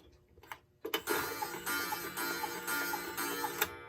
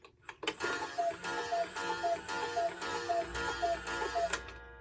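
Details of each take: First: Late-1950s Bachmaier & Klemmer cuckoo clock: a single short whistle note repeats with no second tone, Second: Bachmaier & Klemmer cuckoo clock, late 1950s, after repair, hung on the wall with the door now closing consistently and the bird bobbing. Eight clean two-note calls at an even pace, each with a soft mechanical click and no hesitation; normal.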